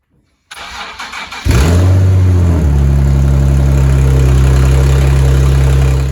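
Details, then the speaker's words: Nissan 370Z after exhaust clamps fitted, manifold gasket completely blown with exhaust escaping: cranks, catches, settles into a loud deep idle with a raspy puffing edge, not much better; exhaust leak at manifold gasket. "So as you can hear, it really doesn't sound much better. That gasket that comes off the manifold is just completely blown out."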